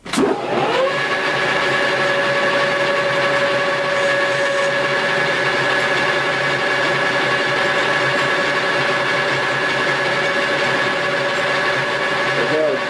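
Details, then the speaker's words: Lathe taking a heavy cut, pushed toward 80 thousandths depth after 70, near stalling: steady strained whine with a heavy cutting hiss holding level; the lathe is at its power limit. "Okay, I'm not going to push it anymore. And I think I've actually shown you the top end of my lathe and a couple different cutting tool bits and inserts."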